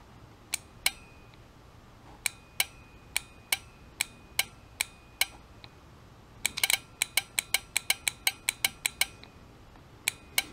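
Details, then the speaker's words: Automotive relay coil powered by a 9-volt battery via test leads; crisp sharp clicks each time the coil is switched, some spaced and some in quick runs, relay changing state properly. "take your other leads hook them up to the coil and listen for it you'll hear it click if it's working it'll change states and now listen for it"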